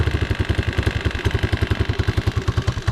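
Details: Unidentified, probably Chinese single-cylinder four-wheeler, cold day, on choke warming up for oil change: steady even putter about three to four beats a second, no knocks or misses; healthy cold idle.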